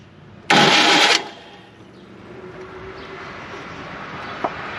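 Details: 1985 ASC McLaren coupe with a newly built engine, not run since 2002, turned over to seat the distributor onto the oil pump: a harsh half-second grinding burst, then quiet; odd noise on turnover, cause unclear.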